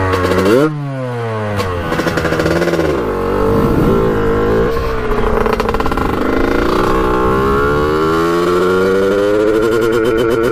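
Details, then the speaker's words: 1989 Kawasaki KX125 two-stroke on its second ride, needle moved to run leaner and air filter off: revs climb and fall but turn rough and stuttering near the top; still breaking up at high rpm, cause unknown. "did the same thing you could hear just breaking up on the top end when you're hitting the high rpms so something's definitely not right"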